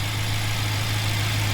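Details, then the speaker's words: BMW M6 S63 twin-turbo V8 at 110,000 km, after fixing random multiple-cylinder misfire thought to be from the fuel injectors: steady, even low hum with no stumbles; stable RPM, no check engine light, idling smoothly. "Everything is fine. Yeah, this car is on 110,000 kilometers and yeah, it's still running good."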